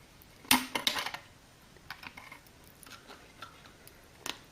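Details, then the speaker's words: Ford Cortina Mk3 glass scored with an angle grinder then curled away: a few sharp cracks then small ticks as the glass breaks along the score line like a tin opener; glass cracking along score line. "and then as you curl away you'll hear the weak point that you've added to it starts to break like a tin opener listen"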